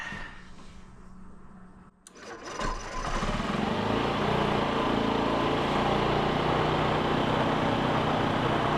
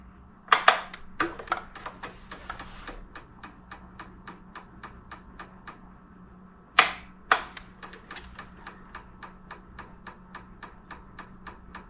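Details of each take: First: 2007 Honda Metropolitan/Ruckus 50cc scooter with a low-power complaint catches after a quiet crank and settles into a steady buzzing run. Fuel pump is feeding a glass jar on test and is not running short of fuel. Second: 2007 Honda Metropolitan 50cc scooter, electric fuel pump back-probed and pumping through filter into a glass jar, key on: steady light ticking about three a second after two sharper bursts; normal fuel pump pulsing.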